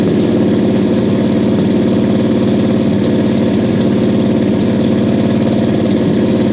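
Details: 1969 Buick Special Deluxe 430 big-block with big cam, parked fall 2021 to spring 2023: steady, even rhythmic lumpy lope, no knocks or misses; running healthy, good oil pressure, water temp coming up.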